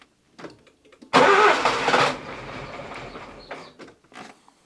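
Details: Nissan Micra K11 1.0L with crank-no-start: silence, then one loud burst as the engine fires once and dies without catching; fault traced to a failed ignition module, fixed by replacing it.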